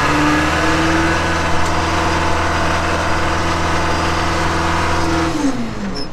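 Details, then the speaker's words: Backhoe diesel after replacing a scored shuttle/reverser valve that gave low pressure: steady, even note under load, revs settle smoothly, forward and reverse engage cleanly without slipping; normal shuttle drive operation after repair. "never worked this good or forward that valve being bad was whole problem we'll go right in forward now no problem"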